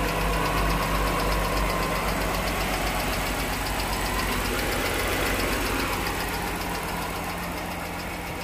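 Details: 2013 Jeep Wrangler at idle, just after an oil change, before Liqui Moly 20004 hydraulic lifter additive is added: quick, even ticking about four a second over the engine hum; top-end tick, possibly a lifter.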